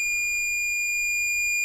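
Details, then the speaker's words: Multimeter continuity test on a faulty MOSFET from an EPS (electric power steering) module with hard steering: steady high-pitched beep across gate and source as well as drain, meaning the MOSFET is shorted. "Short circuit हुआ है। और अगर मैं इसे gate और स्रोत पर रख दूं। फिर यह बीप की आवाज करता है।"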